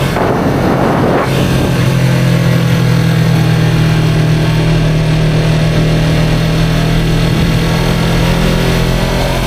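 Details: 2023 Yamaha R3 while riding: a steady, fairly even low whine over the engine drone. The source is unknown.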